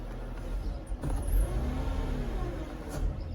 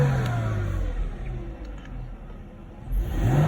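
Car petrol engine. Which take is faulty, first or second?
first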